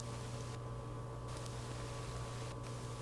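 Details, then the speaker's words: Late-1990s Avalon pellet stove running after startup: low steady convection-blower hum with faint even hiss, air forced through heat exchange tubes, no rattles or scraping; normal operating sound. "When your Avalon pellet heater is burning, you will hear some sounds that are a normal part of its operation. You will hear air being forced through the heat exchange tubes by the convection blower."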